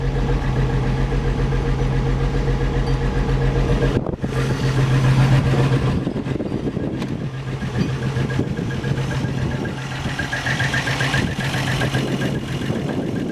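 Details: 1963 Rambler American, first start after engine rebuild: deep, steady idle with even beat, no knocking or misfire; coolant at 195°F, exhaust leak, some oil smoke possibly from overfilled oil, generator light on.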